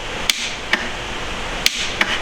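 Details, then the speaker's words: Cat 4.4L diesel project engine on a temporary bench setup, fuel system not yet turned on; sharp single clicks as starter is bumped but no cranking: starter clicks but does not turn over, owner suspects it is full of mud and dirt. "and you can see that the starter is clicking but it's not turning over so what do you bet that it's full of mud Dober dirt"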